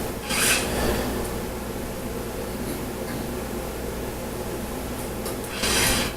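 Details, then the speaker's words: FG5-X absolute gravity meter: rasping high-pitched bursts over a steady low hum as the dropper travels up and down; worn dropper bearings, whose noise couples into the super spring and causes high fit residuals. "This high frequency noise is the bearings. As it goes up and down, you can hear the bearings."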